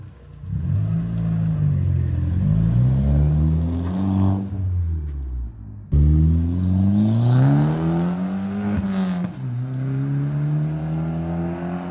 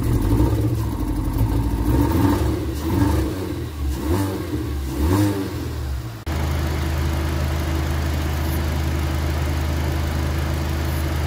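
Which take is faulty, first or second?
second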